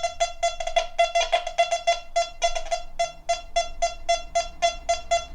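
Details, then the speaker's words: Quest Q35 multi-frequency metal detector in 4-tone field mode, low sensitivity: gold sovereign then a small bit of silver give crisp repeated tones around 700 Hz, about two per second, clean and steady; normal silver target response. "Gold sovereign. And a small bit of silver."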